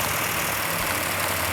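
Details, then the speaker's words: GTX with a freshly built engine on its initial startup, with no smoke, revs held up for cam break-in: fast high revs with a light, even valve-train ticking. Normal valve train noise on new engine. "No smoke yet. Got a little bit noisy valve train, which is normal on a new engine."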